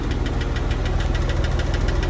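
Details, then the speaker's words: Porsche 996 911 bought from Copart as run-and-drive: quick, even ticking about ten clicks a second over a steady idle, like lifter tick; persists after adding two quarts of oil; cause not confirmed. "we started it up and we heard like I guess like lifter ticking kind of noise"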